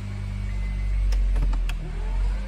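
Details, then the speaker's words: 2013 Honda Fit, 107,000 miles, driver's side half shaft snapped pulling away from a stop: engine idling high in reverse with spinning whir and no drive, then harsh park-pin grinding when shifted to park. "Then when you try to put it in park, you hear this. That sounds horrible. That's the park pin trying to go in and stop the transmission from working."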